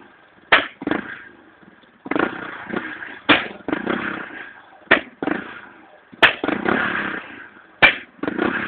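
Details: Honda EX5 misfiring with blue flame from the exhaust: sharp irregular cracks about every one to two seconds over a weak, stumbling engine note.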